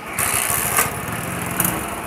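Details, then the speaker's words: XL100 bike engine after timing chain replacement: the small single-cylinder engine runs smooth and even with a light, steady buzz, and the earlier loud timing-chain noise is gone; now quiet. "बिल्कुल silent sound हो गया इसका आपको पहले देखा था gas कितना sound खराब था अब कैसा है"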